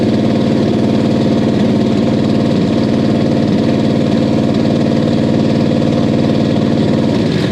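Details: 1969 Buick Special Deluxe 430 big-block with big cam, first start after sitting over a year (parked fall 2021, out spring 2023). Deep lumpy cam lope, steady and strong; normal idle.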